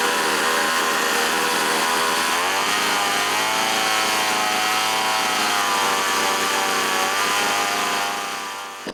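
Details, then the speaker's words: Small two-stroke chainsaw after budget replacement carburetor and small high-speed mixture needle adjustment, air cleaner and top cover off: steady, crisp buzz holding an even high pitch, revving cleanly; runs healthy. "After a small adjustment to the high-speed mixture needle, the forgotten little saw runs like a champ."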